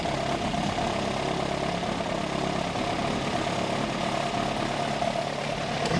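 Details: Ford crossflow engine in XR2 with newly fitted Omex individual throttle bodies, first startup: even, steady idle with crisp intake note, no misses or stumbles; normal idle.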